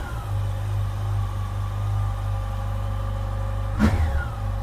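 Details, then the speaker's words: 2007 Yamaha FJR motorcycle, replacement engine on first start after the original died: smooth steady idle with an even rev rise and fall, no knocking or rattles; owner says it sounds much better than the old engine. "sounds a lot better than the engine that was in it."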